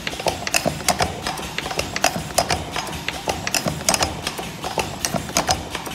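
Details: Push-type lip gloss filling and capping machine during noise test, kept under 66 dB: busy, fairly even clatter of quick mechanical clicks and taps in a repeating cycle, running normally.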